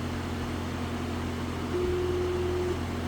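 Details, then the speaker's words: Residential outdoor AC unit running but not cooling: steady abnormal electrical buzz over the unit hum from a failing capacitor, replaced to restore cooling. "Another thing that I'm hearing is a buzzing sound while this unit is running."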